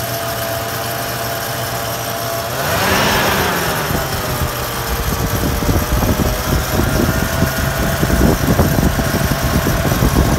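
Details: 3rd-generation Toyota 4Runner idling with a steady high whine and an uneven chattering rattle, which started just after an oil change; cause unidentified.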